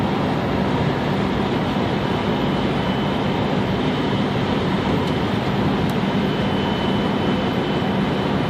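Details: 1997–2003 Dodge Dakota 3.9 engine, mostly in very cold weather: steady ~3 kHz whine not changing pitch with engine speed over engine roar; suspected Denso alternator, power steering, idler pulley or water pump bearing, unconfirmed.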